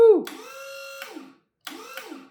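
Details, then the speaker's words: Electric pallet jack after a new charger transformer was installed and a faulty limit switch was bypassed by bridging its connection: the lift motor whines steadily as the forks go up and down, operating normally. "Goes up and goes down."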